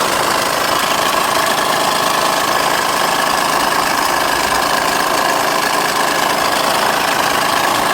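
Fast, irregular light knocking of about three per second over a busy idle, louder in the upper mids, from the front timing area. Cause suspected, not confirmed.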